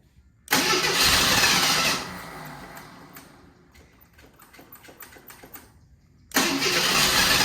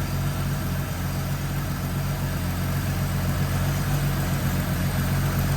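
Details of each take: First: AMC Eagle after carburetor idle adjustments: loud churning cranking bursts fading into ragged puffs, then cranking resumes, won't catch; extended cranking no start, possibly adjusted too much or out of gas, bad radiator also suspected. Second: AMC Eagle after carburetor mixture screws were backed out another half turn each: even low steady idle with a smooth burble and no stumble or tapping; normal idle, purring.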